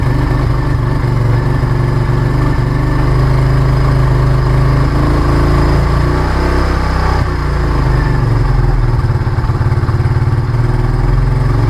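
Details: Kawasaki W175 single-cylinder motorcycle, bought June 2019, 17,192 km, after replacing a nearly 4-year-old battery with a new GS unit: steady, even, low thump with no misses or knocks. A healthy start and idle.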